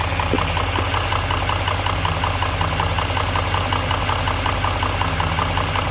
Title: engine knock 3